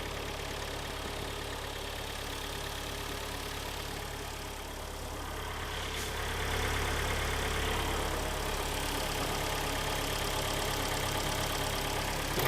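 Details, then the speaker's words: 2013 Kia Sportage AWD, about 125,734 km, freshly rebuilt engine with replacement piston set, first cold start on flushing oil: steady even idle, somewhat loud and harsh while cold, no knock, expected to smooth out once warm. "поэтому не по сейчас прогреется попретется поспокойнее будет работать"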